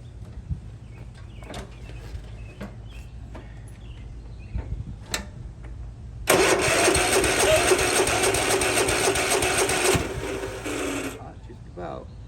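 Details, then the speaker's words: 1998 Yard Machines 13/38 riding mower, sat several years, weak cranking, fires on starting fluid: runs ragged four seconds and quits; old gas like maple syrup, not getting fuel, fuel delivery fault. "one thing I noticed I just happened to look earlier I don't know if you can even see in there that gas is like maple syrup so we're not even going to mess with that"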